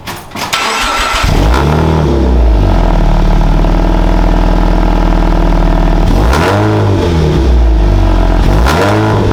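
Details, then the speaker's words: Supercharged Scion FR-S track car, cold start after fitting HKS equal-length header and overpipe to cure an exhaust leak, tune still needing adjustment: clean, smooth revs rising and falling with no ticking or puffing; much smoother rev range. "But let's see how this thing sounds. Oh, the rev range is so much smoother."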